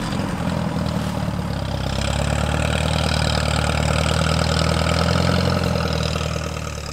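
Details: Alice Chalmers tractor engine, sat all winter, fires up after two hours of failed cranking once the key is turned on: low, steady idle with an even lumpy beat, no knocking or grinding; healthy normal idle.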